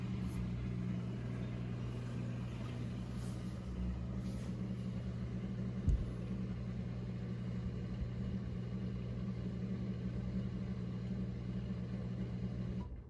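Steady low hum with an even, unbroken tone throughout and no rattle or grinding; the dishwasher pump is running normally.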